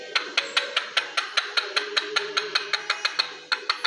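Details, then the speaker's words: Fiat Palio Fire, water pump looking new but with a stain at the weep hole (seal suspected burst); crisp dry clicks, about five per second, turning the pump shaft; notchy water pump bearing, noise seemed inside engine. "E ó o barulho aqui, ó. Barulho no eixo da bomba d'água. É o barulho que que o cliente tá ouvindo aí, né?"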